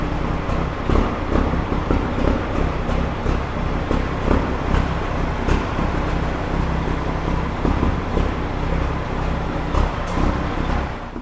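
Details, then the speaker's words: Peterbilt truck diesel after turbo failure, before intercooler cleaning or replacement: steady, even idle with smooth low rumble, no knocks or rattles; good oil pressure, engine sounds healthy. "Okay, it sounds good. It has good oil pressure, so that's actually a pretty big relief."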